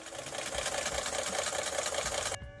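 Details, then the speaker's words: Ford F-150 engine: fast dense clatter like rocks shaken in a can; bad exhaust cam phaser, a common issue on these trucks. "It sounds like someone's shaking a bunch of rocks around in my engine. Can you check it out? It ended up being a bad exhaust phaser, which is a pretty common issue on these F-150s."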